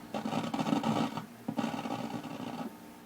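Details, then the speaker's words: Zenith K421W AM-FM radio with a very stiff volume control (grease dried to glue): only scratchy, uneven hiss in bursts and no station received. Dirty selector switch and volume control suspected. "because I can barely turn it number one and it's awfully scratchy don't know that that's any other reason for the non-performance this switch here sometimes we'll get uh dirty as well"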